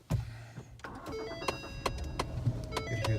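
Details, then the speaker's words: 2011 Ford Taurus: sharp, uneven clicking from behind the dash when the car is started, heard over a low engine rumble; failed AC blend door actuator behind the glovebox area, a common Ford issue, to be replaced. "so evidently this time yeah evidently this is kind of a common issue on a lot of Ford's so um it seems that it's the AC actuator"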